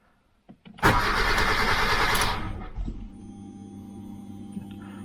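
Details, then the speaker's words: 2007 Kia Cerato no-start: the starter churns about 1.5 s without catching, then only a faint fuel-pump hum, with the check-engine light on. The immobilizer is not accepting the key. "насос робить лампочкачекенже світить але не заводиться"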